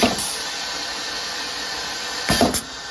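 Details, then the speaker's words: JDA Model PF200 pneumatic piston filler, piston in the home position with both position sensors working. On the foot switch, a sharp pneumatic clack with a short air hiss as the piston strokes forward; it cycles normally. "When I press the foot switch, this is going to go forward, you'll hear it, and you're going to see this nipple is going to pop up momentarily."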